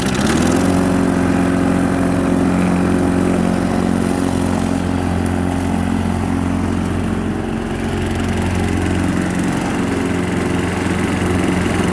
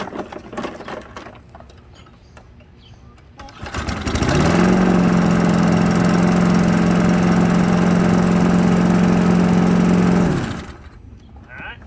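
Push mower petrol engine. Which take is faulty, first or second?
second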